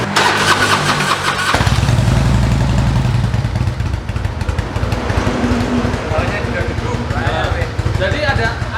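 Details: Harley-Davidson: a start-up blip, then a lumpy, uneven V-twin idle of about three beats a second with road noise; it sounds healthy.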